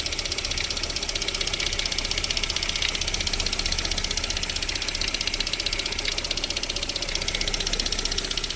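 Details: VAZ 21127 engine at idle while warming up, with crisp metallic tapping steady at about 230 per minute; the knock disappears once the engine reaches about 40 degrees, source unknown.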